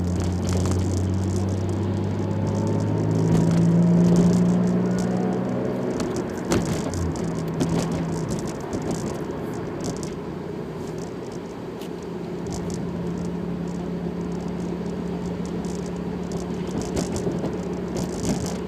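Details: Toyota Supra: steady low whine over engine noise at around 2500 rpm, heard at 0:04, 0:10, 0:26; cause unknown.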